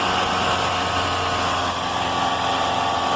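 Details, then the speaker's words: Car after fitting a new crankshaft belt to cure an engine noise: smooth, even running with no squeal, chirp or bearing growl; the alternator bearing is fine and the old belt was the cause. "a correia nova rolamento alternador tá ótimo muito bom então não tem problema nenhum"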